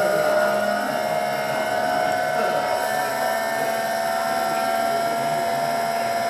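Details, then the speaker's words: VVVF PWM induction motor drive after a "gear" change while speeding up: a steady high switching whine holds its pitch as the chopping frequency stays the same, while a lower motor tone climbs with speed; normal inverter motor whine. "Notice that the chopping still appears to be about the same sort of uh frequency, which is right."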